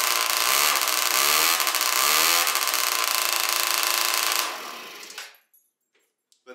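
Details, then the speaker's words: Yamaha Zuma bugeye with Polini 70cc kit and new Yasuni R pipe revving high: very loud, raspy two-stroke; suspected an exhaust leak, but no head leak, the aftermarket pipe itself is just that loud. "i thought i literally thought that there was like a full-on exhaust leak with how loud that pipe is but no it's that's literally just how loud the pipe is"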